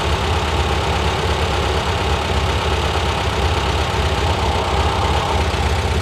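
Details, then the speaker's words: 1971 VW Squareback air-cooled flat-four, engine reinstalled with new valves and 40mm carbs, valves adjusted: even steady idle with consistent low rumble, no knocks or misses; running fine, valve cover still leaking oil. "sounds good running fine make sure I don't have an oil leak"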